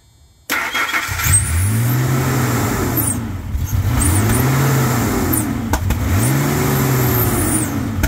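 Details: 1999 Ford F-150 4.2 V6 just revived with new fuel pump, belt and tensioner: engine runs on its own, rising and falling with throttle blips every two seconds, loud open exhaust (needs new muffler); slight shriek, owner suspects throttle body needs cleaning.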